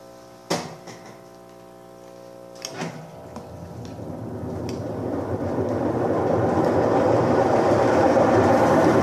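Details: Electrolux washing machine after repair (capacitor wire fault found) that previously would not spin; a couple of clunks as it engages, then a smooth whoosh building steadily as the drum spins up, healthy spin cycle.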